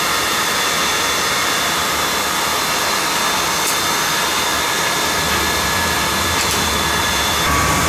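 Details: Riello burner on a Burnham boiler, fired up during annual service to check draft: steady even blower-and-flame rushing roar, no pulsing or rumble; firing normally.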